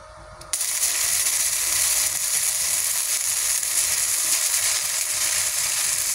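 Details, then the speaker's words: Cheap multipro MIG-MMA/TIG 160 welding gasless flux-core (no CO2) wire with the ground clamp and torch connections on the wrong polarity: harsh, erratic crackling and popping arc, leaving spatter grains that don't fuse into the plate. "the position of installing the accessories is wrong or not suitable, then what happens is that the welding is like this, there are grains and the results are not integrated into the plate material."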